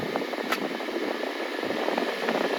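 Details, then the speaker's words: 2009 BMW 530i with new evaporator, A/C compressor and heater valve, blowing weakly on MAX as if on 3; after charging the battery by driving about 15 miles the blower gives a steady, even, strong rush at full speed. Low battery had limited it. "So I did so. I drove it about 10 miles and it went up. It went up like right there. I drove another 5 miles and bam!"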